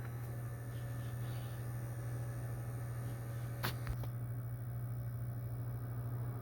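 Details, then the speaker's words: PS4 after a disc drive repair for not reading, slow ejecting and grinding with a disc inserted: steady low hum and faint even whir with a brief spin-up click, no grinding; goes quiet when pressed, some stripped screws leave parts loose. "It's running quiet. If you kind of push down on it a little bit, it, like, goes completely quiet."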